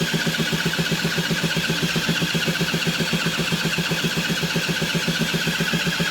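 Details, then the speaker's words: Honda SH50 City Express moped, first start in 9 years with a replacement engine, running with no exhaust: harsh, rapid, unmuffled two-stroke rattle; owner suspects an air leak somewhere, not confirmed. "no exhaust on it and the riffs away - I"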